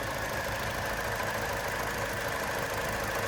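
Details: 2002 Hyundai Accent, 137,608 miles, running at idle: light, quick tapping riding on the even engine hum; coolant smell noted, unexplained tap, source still unknown.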